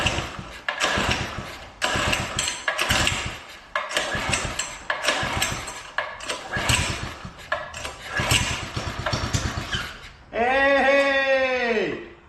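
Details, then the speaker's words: Doodle Bug minibike with bad clutch: about eight rough pull-cord rasps, never fires, one short whirring spin at the end; spark present yet no start, bad spark plug blamed. "there is indeed spark and this thing still doesn't start"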